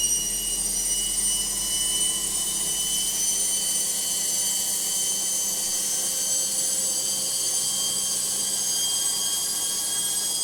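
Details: Logik washing machine on spin: loud, steady high-pitched whine and hiss with almost no low rumble, too noisy for a healthy drum; cause unclear.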